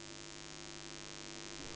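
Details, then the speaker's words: Allpowers R600 solar generator while charging: faint, steady low hum with a soft even hiss, no rattles or cycling, quieter than the constant buzz of the owner's Bluetti unit. Normal charging noise. "si comparamos este ruido con el zumbido constante que me da el mío para mí esto es un 10"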